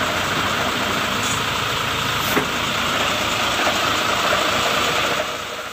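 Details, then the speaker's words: Fuso 4x2 SL diesel truck after clutch adjustment: an even, steady engine note with no rough grinding when the clutch is pressed. The clutch noise is gone, though the pedal height is still too high. "koplingnya masih terlalu tinggi. Namun, untuk suaranya, sudah tidak lagi berisik."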